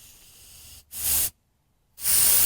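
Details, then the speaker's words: Lotos LTP5000D plasma cutter air supply (hose quick-disconnect into filter/regulator into machine): sharp high hiss in two half-second bursts with silence between; air leaking at cheap Harbor Freight quick-connect coupler, not the fitting; occasional, no big deal. "that air his is coming from a couple here it's not from the fitting"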